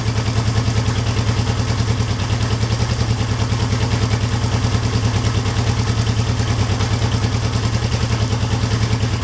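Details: 1972 Honda CL350 twin with one spark plug disconnected, idle set near 1,000 rpm: even, rapid single-cylinder putter holding a steady speed; idle mixture screw set where it runs fastest during carburetor synchronization.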